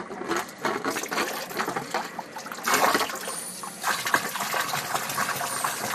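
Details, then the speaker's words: Two-zone baseboard hot water heating system being bled at the drain valve hose: irregular hissing spits and gurgles as air and water sputter out together, showing lots of trapped air in the loop. "all right and you can hear the the air coming out yeah wow wow is there ever air in here look at that that's all air coming out of"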